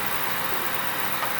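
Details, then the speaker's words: 2003 Ford F-150 4.6L V8, fan shroud off, idling: smooth steady idle with no chirp or squeal from accessory belt; squeal previously occurred at 1,500–2,000 RPM. "but I'm not gonna have it on that long and I do not hear any squeal whatsoever yet"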